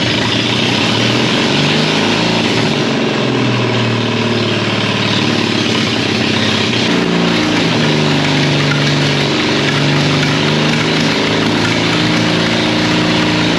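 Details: 1939 Caterpillar D4 (D4400 diesel) after final assembly, restarted after bleeding the injectors; loud, lumpy idle with an uneven beat, with low fuel pressure but good oil pressure noted. Source not yet identified. Rough idle.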